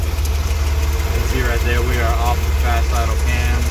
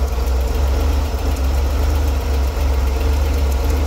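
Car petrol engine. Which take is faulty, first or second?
second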